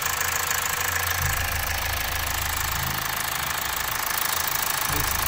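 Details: Mazda CX-5 diesel with high, spiking oil pressure and carbon buildup, at about operating temperature with oil pressure 30: even, steady idle clatter with regular beat and no odd knocks.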